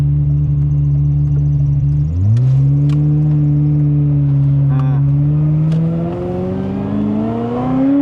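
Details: Ferrari 355 V8 during inspection, not yet fully hot: smooth even idle steps up cleanly to a steady rising note, no misses or knocks; sounds totally normal, not missing.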